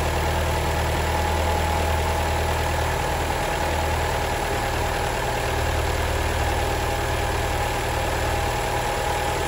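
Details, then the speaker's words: Alfa Romeo 159 at idle: hard rapid clatter about three beats a second, diesel-like; a failing oil-operated variable valve timing gear component is suspected, not confirmed. "that thing if it starts failing your your alpha will sound like a diesel"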